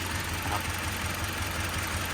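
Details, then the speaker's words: Toyota 2.7 VVT-i petrol van with factory CNG, switched to run on petrol, idles low and uneven with irregular stumbles and noticeable shaking; rough idle persists on petrol, owner suspects a spark plug or ignition coil. "ตอนนี้ผมสับเป็นน้ำมันอยู่ปรับใช้น้ำมันอยู่นะครับแต่ก็ยังสะดุดอยู่"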